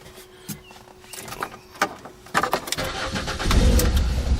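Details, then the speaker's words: 2005 Ford Escape 2.3 L four-cylinder struck by lightning: starter whirs, engine catches and runs rough, surging and stumbling before smoothing slightly; charging voltage abnormally high, alternator whining; cause unclear. "So it starts, and it barely freaking runs. It kind of smoothed out there, but look over here."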